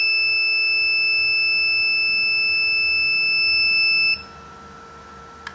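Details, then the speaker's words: Ender 3D printer at power-on: one unbroken high-pitched beep about four seconds, thermistor fault alarm; persists after fitting a new hotend. "okay guys i have problem with my ender 3d printer so it has always beeping many times so long times when i press the power button like this"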